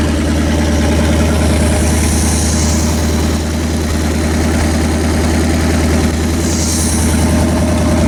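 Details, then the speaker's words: Rebuilt Pontiac 400 V8 on homemade run stand, break-in after earlier flat-tappet cam and bearing failure: deep steady rumble at fast even idle, no ticking or knocking; running smoothly, only valve cover oil leaks. "great success ha Pontiac is behaving itself that is good news"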